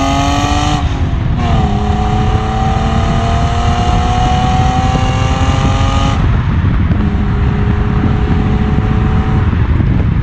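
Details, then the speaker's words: BMW E36 325i inline-six, recorded by GoPro while driving: clean rising note through two gear pulls with a drop at each shift, no knocks or rattles; healthy engine and exhaust. "Le 36 ça fait vraiment un beau bruit, franchement je kiffe de ouf. Je vais pas changer la ligne, je vais rien faire, je vais pas faire une ligne inox ou quoi."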